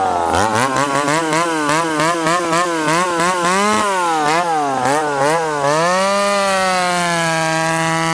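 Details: Ported 70cc McCulloch Super Pro 70 chainsaw (model stamping 171 or 181, likely 171), ported the previous winter, retested on fresh fuel: a wicked free rev whose pitch sags each time the bar is dogged into wood, then screams back up. It bogs under load, cause not confirmed.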